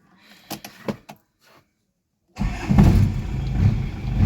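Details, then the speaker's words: Isuzu TFR after the starter motor was repaired, refitted and the battery reconnected. A few clicks and a pause, then the engine catches at once and settles into a steady, low, even idle: it starts easily and the repair succeeded. "หลังจากที่ซ่อมเสร็จแล้วก็สตาร์ทได้สตาร์ทง่ายก็ถือว่าเป็นอันสำเร็จครับ"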